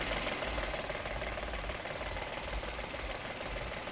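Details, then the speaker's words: 2018 Dodge Attitude idling with AC switched on, after lubricating the rusty AC compressor clutch that had squealed like a loose belt: steady even idle hum, compressor cycling quietly, no squeal; normal idle. "ahí entra pero ya no se oye ese rechinido"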